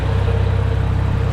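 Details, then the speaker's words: Farmall Super A antique tractor after tightening a loose spark plug: quick, even firing pulses with a steady low thrum, no misses or knocks; running a lot better, normal idle. "Running a lot better since I tightened up that spark plug."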